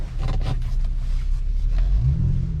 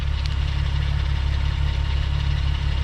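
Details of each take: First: 2001 US-spec VW Jetta VR6 wagon on a parking-lot test drive while checking the gears: a deep, even engine note rises smoothly pulling away in low gear, no knocks or rattles; normal revving, sounds healthy. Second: US-spec Mk4 VW Jetta VR6 wagon, engine running a while: steady low idle with a faint uneven ticking rattle about four per second; owner suspects chain noise, throwout bearing or secondary auxiliary pump, unconfirmed.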